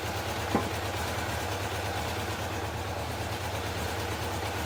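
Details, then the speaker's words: Honda F2 750 four-cylinder motorcycle, stood damp over winter, after replacing the fouled spark plug: steady even low idle with a smooth unbroken beat and no pops or stumbles; misfire cured. "There we are, no more popping. No more Mary Poppins."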